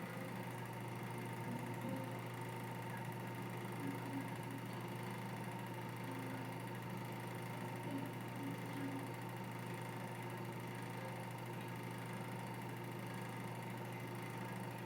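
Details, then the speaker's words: Exhaust fan running at constant speed: steady hum with an uneven buzzy rattle; owner suspects bad bearings, but motor, windings or an uncleaned blade are also possible. "it has a real bad rattle to it I don't know if it's the bearings I don't know if it's the motor or the whinings or the blade that hasn't been clean yet"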